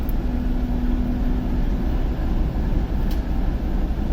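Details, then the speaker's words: TEP70 locomotive V16 diesel, first start after repair, not yet warmed after two to three minutes, little smoke: deep, steady low rumble with an even beat and no knocks or rattles; normal idle. "Ну, дизель еще не нагрелся, он поработал у нас 2-3 минуты. Ну и дыма практически нет после ремонта. Работает как тихо. Красиво."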